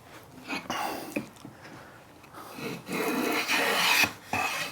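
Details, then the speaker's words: Long hand plane planing a vise-held board with the grain: rasping strokes drop out briefly mid-pass before biting again. The blade is skipping over a dip in the board. "Did you hear it miss? That meant there was a dip in there. And that's the advantage of a longer plane. It's going to bridge any of the undulations in the timber that you're planing."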